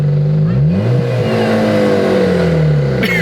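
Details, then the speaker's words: Jeep engine, jump-started and briefly warming up, blipped twice: an odd whirring spin rides over the exhaust note, something spinning that shouldn't; abnormal noise when revving, cause unknown. "I don't know if yall can hear that if y'all can't tell something is spinning it's not supposed to do [Applause]"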